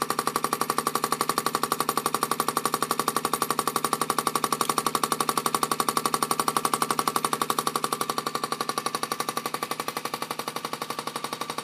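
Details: Haier 1.7 cubic foot mini fridge, under three months old: sharp, very even knocks about three per second over the running fridge; repetitive banging, cause unknown.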